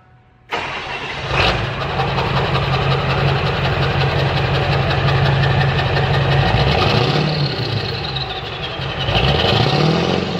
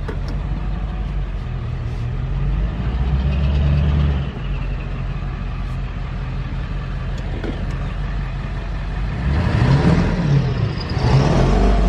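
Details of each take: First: Straight-piped dually diesel truck, just after fitting the new exhaust, still smoking a little on revs: fires right up into a deep, loud open-pipe idle that stays steady through light blips; idle sounds healthy. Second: Straight-piped dually diesel, just after the straight-pipe exhaust install: the loud open-pipe engine idles steadily, then stumbles and breaks up when revved. Owner suspects it is still misfiring under throttle, possibly causing smoke; at idle it sounds fine.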